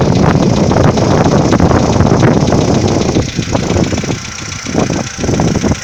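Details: 2015 VW Polo Sedan, morning cold start at idle: a rapid, irregular light knocking over the running noise, easing slightly. Piston knock suspected by the owner, not confirmed.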